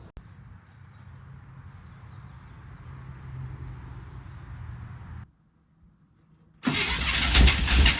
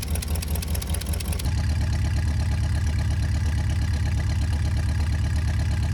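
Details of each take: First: 1972 International Cargostar, first start after new plugs replaced fouled worn ones, electric fuel pump added: quiet cranking, pause, then fires into a loud, busy top-end clatter about three taps a second; noisy lifters. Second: 1972 International Cargostar, idling 5-10 minutes, earlier lifter clatter now quiet: steady, even low rumble with no top-end tapping; settled and running smoothly, though smoking.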